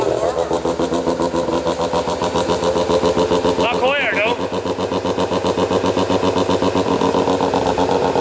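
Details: Mazda FC RX-7 13B rotary at first start after weeks of work; choppy, lumpy brap-brap at roughly four pulses a second, holding steady; normal idle.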